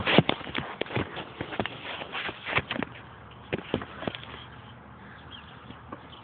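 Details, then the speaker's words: BMW E39 with a cylinder 3 misfire code and oil pooled at cylinder 2, sometimes starting: irregular sharp clacks and thuds instead of a steady crank, fading out without catching; owner suspects the starter, unconfirmed. "now that doesn't sound good uh I really don't know what to say about that is that my starter going bad"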